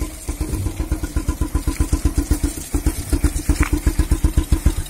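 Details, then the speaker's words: Honda CB Twister bike that choked and surged at full throttle, after tightening the carburettor air mixture screw less than half a turn to richen the mixture. Regular exhaust pulses at about eight a second, no skips; the firing problem is nearly gone. "ये जो firing का problem भी था वो लगभग दूर हो चुका है। ये बराबर फायरिंग कर रहा है।"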